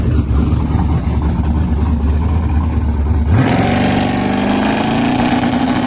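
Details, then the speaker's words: Silver Z06 with six-point cage, stock suspension and tailpipes dumped at the diff, on its first full pass in eight months: a deep rumble, then pitch climbing sharply and cleanly under full throttle; normal acceleration. "all right so we just made our first full pass in the car in literally like eight months which it felt pretty good the car is very fast for what it's got"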